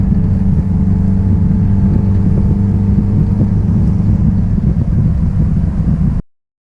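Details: 1966 Triumph Spitfire, rebuilt 1147cc four-cylinder, driving after fuel system stripped and lines flushed: deep, steady exhaust rumble pulling evenly under load, no misses, knocks or stumbles; running strong and healthy.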